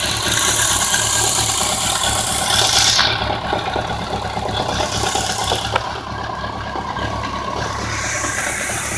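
Uneven idle with a light metallic tick and knock running about three per second over a rattly engine; knocking and ticking at idle.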